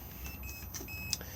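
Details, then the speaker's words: Swift Lifestyle 644 motorhome fridge switched to 12-volt mode: short, thin high beeps repeat in a quiet cab, warning that 12 V mode has no power because the engine is not running. "we will get a beeping noise because the engine is currently not running"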